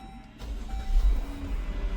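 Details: Vehicle with prior P0335 crankshaft position sensor code, restarted after PCM flash and clearing codes; quiet at first, then a low steady rumble picks up and holds even, engine starts and runs smoothly with no codes returning.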